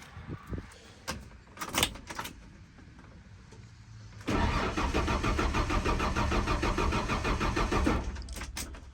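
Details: 1994 Ford F150 that won't start, air filter box removed and filter looking clean: starter cranks the engine at a steady even rhythm for about four seconds but it never fires; crank no start, spark and fuel not yet checked.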